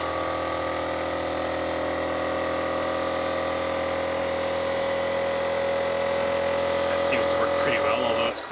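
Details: 12-volt Thomas-type vacuum pump mounted in an electric car for power brakes; loud steady buzzing whine with hard droning rattle, vibration carried into the body with no isolators fitted, very noisy inside the car.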